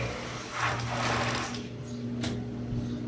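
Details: Overlock sewing machine, rarely used: whirs briefly then drags down and stops when the pedal is pressed fast, though power is fine; old thickened oil binding it.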